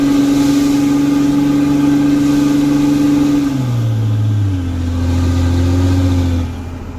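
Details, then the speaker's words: 2006 Cummins diesel truck with broken 7-year-old exhaust flex section: loud, raw unmuffled drone climbing then falling as it revs; exhaust open at the flex pipe, still sounds good otherwise. "There you go. She still sounds good with no exhaust."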